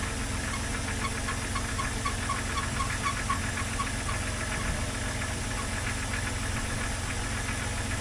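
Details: 2001 Jeep Cherokee XJ first start after radiator and water pump work: quiet, steady idle with a smooth low hum, no knocking, squeal or stumble; no leaks seen, though the electric cooling fan's fuse is blown. Normal idle.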